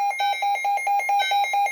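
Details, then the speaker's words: Midland weather radio wired to an external alert chime, power supply set to 24 V, dip switches adjusted, triggered by an alert test: evenly spaced two-tone pulses about five per second, clean and steady but a little quiet. "the chime went off. It was a little quiet, so I'm gonna change the tone again."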